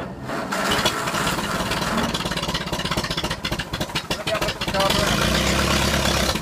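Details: 1952 Ferguson TED tractor, first start after 40 years in a field: cranks and catches within a second, settles into steady, fairly even beat with no knocks or misses; healthy running.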